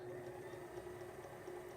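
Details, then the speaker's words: Sailrite Worker Bee 110V sewing machine power pack running off a Duracell 3000 W modified sine wave inverter on a single 92 Ah deep cycle battery; slow speed and variable speed, quiet steady motor hum, very smooth, no issues. "Slow speed, no issues. Very smooth operation, variable speed. Works great."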